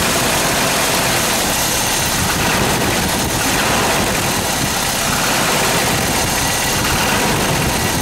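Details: Toyota 22RE engine idling with a loose, busy, fast, uneven metallic rattle, a suspected "death rattle"; source unknown.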